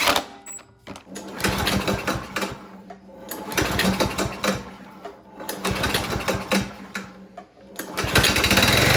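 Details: Cub Cadet ST100 walk-behind string trimmer after a fix for no-start, suspected stale gas clogging the carburetor, with the dirty carb cleaned and reinstalled: small single-cylinder engine revving up and dropping back repeatedly, picking up cleanly without stalling; running properly.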